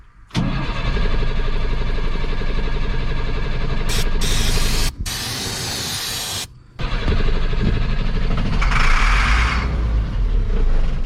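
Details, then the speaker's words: Masport vacuum pump engine cranks on starting fluid with rough, uneven firing, briefly speeding up, then dies without sustaining itself. "so i know that doesn't sound like it's running but really that sound is running it's just not running good not enough to sustain itself"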